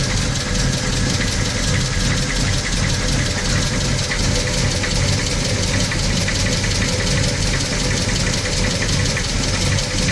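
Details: VW Gol CL 1.6 AP engine, cold: running with a fast uneven ticking over a low rumble, seemingly from the top end; cold-engine noise, cause unknown.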